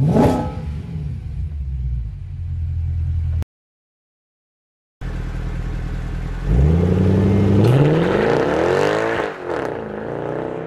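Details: W204 C63 AMG V8 with long-tube headers, sport cats, new mid and rear silencers, recorded outside: deep idle burble then rising pull with booming drone; vibrating mid silencer, fixed by welded damper and stock rear silencers.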